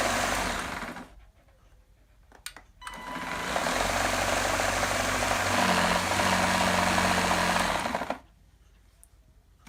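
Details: GTECH AirRAM K9 cordless vacuum, after battery trouble: motor whirs up about five seconds with rough knock about three per second, seemingly from motor housing; owner suspects faulty switch or bad motor.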